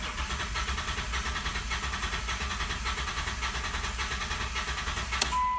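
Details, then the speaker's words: 2008 Mitsubishi Raider with P0301/P0300 misfire that bogged down at a drive-thru, cranked with the pedal floored in clear flood mode: lopsided cranking near 105 per minute, one weak beat each cycle; low compression from a collapsed valve spring. "doesn't sound consistent so right now what I want to do I actually want to go outside and we're gonna do a relative compression test with our amp clamp and we're gonna hook it up and we're gonna see if we have a dead cylinder"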